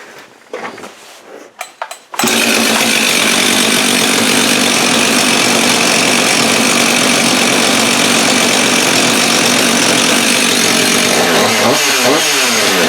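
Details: Husqvarna 562xp AutoTune saw after a new spark plug, carburetor firmware unchanged: fires at once after a few pulls, steady high even scream, no stumbling or surging; runs cleanly.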